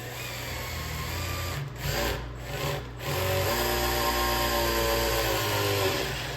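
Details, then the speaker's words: Priming engine oil with a drill before an engine swap into a truck: steady drill whir that drops and settles as load builds once the pump picks up oil; normal. "okay, it's picking up oil. You guys can hear that."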